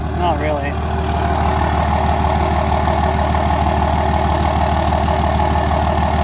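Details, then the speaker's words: Single cab Cummins diesel just after a new tune was flashed, starting much easier: even, deep diesel idle with steady clatter rhythm, no misses or knocks; running healthy. "It's running. Definitely started a lot easier. So the tune definitely took."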